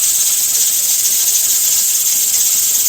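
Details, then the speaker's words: Pressure canner with two 5-lb weights on its regulator venting constantly because of excessive stove heat: loud steady steam hiss and rattle as the burner is turned down to a low setting. "it'll stop in a second I just turned the I just turn the heat down on my stove I got it bent to a low setting"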